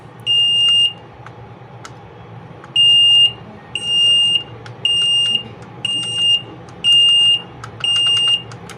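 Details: LG front-load washing machine on the bench during PCB repair, TE and PE errors showing, linked to the pressure sensor connection, only the start button responding: loud high-pitched beeps, roughly one a second in uneven bursts. Error alarm; cause suspected, not confirmed.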